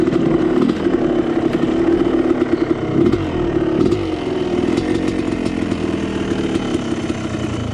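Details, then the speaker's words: Dirt bike pulling hard under load before a hill climb: raspy, chattering exhaust note; rider suspects an exhaust leak, not confirmed. "Sounds like I might have an exhaust leak."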